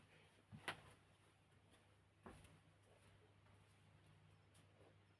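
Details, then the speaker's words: 2003 Martec Four Seasons 48-inch (1200 mm) J-hook ceiling fan with oyster light kit, plugged straight to high speed without controller; soft hum with two sharp irregular bangs about two seconds apart; noisy bangs, cause unknown, slight wobble. "And yes, if you can hear, it has noisy bangs."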